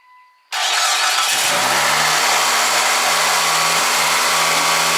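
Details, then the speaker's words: 2003 Mitsubishi Galant, 188,000 miles, cold start: engine cranks, catches and over-revs to about 2,500 RPM for 10-15 seconds before coming down, also when hot; idle air control valve suspected. "When I fire it up, it over revs to like about 2,500 RPM for just 10-15 seconds. Then it will come down, but it'll do this when it's hot too, so it's not just like a cold engine type thing."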